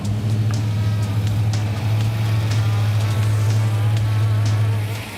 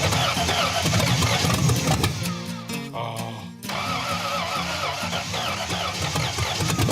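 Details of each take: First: 1961 Pontiac Bonneville with newly installed V8 and Turbo 350 swap, electric choke working, first run warming to temperature: deep steady rumble with even lope, no knocks or misses; smooth warm-up idle. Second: Barneville project engine: cranks, catches and runs rough and lumpy with an uneven beat; sounds really terrible, running on only four cylinders.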